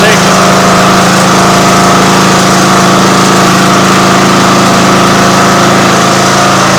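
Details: Craftsman riding lawn mower, abandoned outside 5–10 years, cold start on full choke after cleaning and washing, engine shroud still off: loud, steady small-engine drone at constant speed, even firing without stumbles or surges; normal cold idle.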